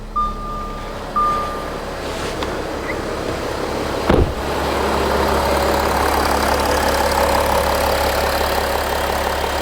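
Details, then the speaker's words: Audi Q7 3.0L TDI diesel after engine oil cooler replacement, restarted after test drive: clicks and a thump, then smooth even idle with no knocks or misses; no leaks, coolant and oil good; normal idle. "So, the engine is running. The engine sounds good. We don't have a leak around the engine."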